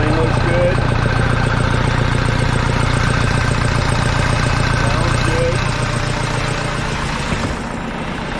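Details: Case 188D diesel with a freshly rebuilt engine, warming up at first start with the oil pressure gauge not reading and no engine temperature yet: a steady, even idle thump with no knocks or misses; normal idle.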